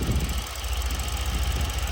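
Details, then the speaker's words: Mercedes C63 AMG W205 at idle before purge valve replacement: steady low idle with a quick, even tick that follows idle speed and can be felt by touching the part; the owner suspects the purge valve causes it, a known C63 issue. "Do you hear that ticking noise? If you touch this, you could feel the ticks."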